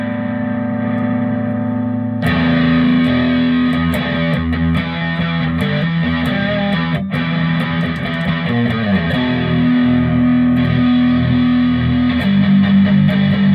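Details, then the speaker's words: Fender Frontman FM 212R guitar amp, received faulty with no sound, after servicing: heavy distorted guitar full and steady, no crackle, dropouts or hum; reverb still not working. Normal distorted channel output. "and there is the distorted channel"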